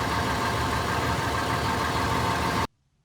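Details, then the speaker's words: After a DIY exhaust flange repair with homemade clamps and studs made from straightened U-bolts, a smooth even idle with no puffing or ticking at the manifold, then a clean shut-off; repaired, no leak. "where are we at with this repair? It's repaired, it doesn't leak."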